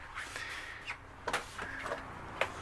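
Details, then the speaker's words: 2008 Keystone Cougar 276RLS travel trailer slide-out: sharp, uneven clicks over faint motor hum while the switch is held about three seconds at full extension; normal slide reset, nothing wrong. "i hear that clicking noise and i'm gonna bring it in a little bit bring it back out nothing wrong with that that is resetting your uh slide every time you go out"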